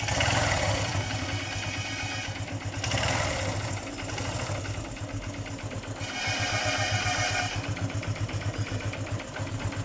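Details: Honda CB Shine single-cylinder at idle: loose, uneven clatter ticking about four times a second over the exhaust thump, abnormal engine noise, source unclear.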